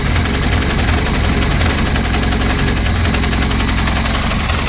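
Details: 205 first start after a rebuild with a new clutch and 206/306 flywheel. Firing order changed to 1-3-4-2, ignition only roughly set, not timed. Loud, uneven, lumpy, clattery idle; rough running, timing suspected.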